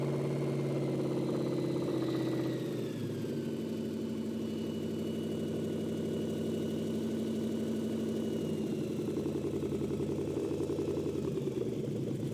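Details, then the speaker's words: Project X '57 Chevy hot rod, carbureted supercharged LSX/6-71 blown small block, first fire-up after the build: big blown V8 comes off a rev and settles into a loud, lumpy but steady idle with no knocks or misses; healthy. "That thing sounds nasty. Nice. Oh man, that thing is loud."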